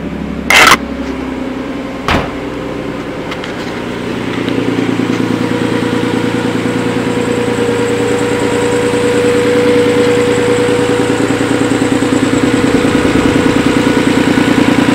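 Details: Nissan 300ZX Z32 petrol engine after motor swap, idling a little low and uneven with a steady mid-pitched whine, plus hesitation; codes 34 and 35, owner suspects plenum gasket misfitted and vacuum leak; cause unconfirmed.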